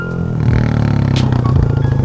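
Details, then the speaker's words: Honda Grom with a new TPR 180 big bore kit on its first run, not yet broken in and smelling rich. Single-cylinder revs climb smoothly into a deep, even, louder drone with a strong intake sucking note; the engine is healthy. "Oh, she's loud. She's a little rowdier. You can hear the intake sucking in"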